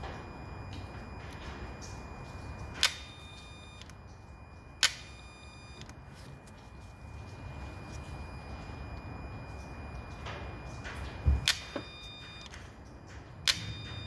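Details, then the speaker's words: 2008 Peugeot 308 with antipollution fault, P0489: sharp isolated clicks a few seconds apart over a quiet engine bay as the EGR valve motor is actuated by diagnostic tool; it works intermittently, so the EGR valve is to be removed. "I can hear it clicking, I'm just trying to feel where it is. Seems like this unit here."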